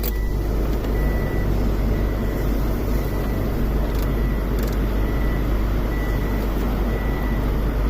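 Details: 2007 Subaru Forester after fixing excess compressor clutch clearance that made the compressor randomly disengage, AC on at idle: steady, even hum with the compressor engaging smoothly and no grinding or rattle; AC working normally.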